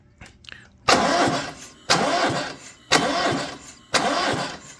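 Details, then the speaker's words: Cummins Onan Marquis Gold 5500 watt RV generator, sitting unused about 20 years, cranked from a jump pack: four short cranking bursts that turn over but never fire; cranks but won't start, owner suspects the control board. "that is all I'm getting out of this. I'm thinking I need the control board for this, but I don't know."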